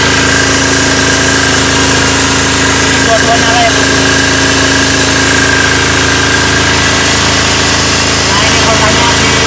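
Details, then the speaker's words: Potenza 220 V AC generator, repaired and tested under two loads: steady even engine drone holding without bogging, a little smoky at start, output 214 V, then 216 V under load; running normally. "tegangannya 216, itu bagus. Melihat? Itu normal, Bos."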